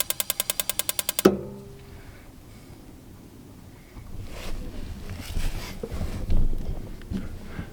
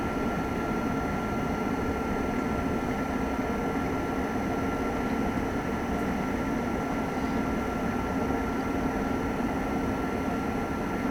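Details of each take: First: RV water heater in a horse trailer living quarters, being dewinterized after stove burners were used to bleed the gas line: about a second of rapid igniter clicks without the burner catching; air still in the gas line prevents lighting. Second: Lakota horse trailer living-quarters RV furnace on first firing after winter, in cool weather: steady even rush of burner and blower, faint constant tone, no rattles or surging; normal furnace operation.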